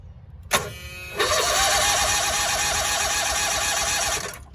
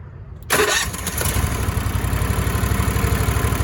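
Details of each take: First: Cushman three-wheeler with the drive engaged instead of unloaded by the lever: labored, wavering starter groan pulsing about five times a second during slow cranking; the parasitic load overloads the starter. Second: Cushman three-wheeler starting with the engine unloaded by its lever to cut starter amp draw. A brief crank, then it fires right up to an even, steady idle; a normal start.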